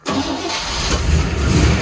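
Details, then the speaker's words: 1961 Corvette or 1957 Chevy (grandfather's cars) first start in decades on 5 gallons of fresh gas: cranks briefly, catches at once and settles into a deep, steady rumble with no misses or knocks, no oil leaks seen. "Sounds good. I don't see any oil leaks."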